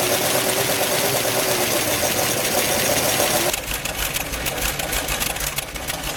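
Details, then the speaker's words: BRDM-2 Russian armored vehicle, first start after winter storage, oil checked and batteries charged; engine catches almost at once and settles into a steady, even idle with no knocks or misfires, a clean cold start. "Ale co po całym po całej zimie Pierwsze odpalenie Jestem bardzo zadowolony"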